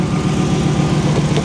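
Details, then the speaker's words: 1994 Pontiac Firebird Trans Am, idling after an out-of-gas no-start was fixed with 5 gallons of fuel: steady, even low rumble with a regular firing pulse and no knocks or misses, sounding healthy. "Unreal, man. She sounds healthy. She sounds really, really healthy."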